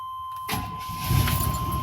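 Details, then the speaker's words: 1997 Suburban with a 383 stroker V8, stone-cold dead battery, jump-started with a Uniden power pack after not running in a long time; brief crank, then it catches into a strong, steady rumble, starting cleanly. "Look at that. Freaking awesome. This truck hasn't been started in a long time, as you can hear."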